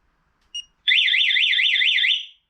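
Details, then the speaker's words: Spy 5000 two-way motorcycle alarm, newly installed: a short chirp, then a loud up-and-down warbling siren as it triggers instead of arming. It was later found to arm only once the bike's accessory circuit is switched off. "just goes into alarm mode all right we'll read the instructions and come back"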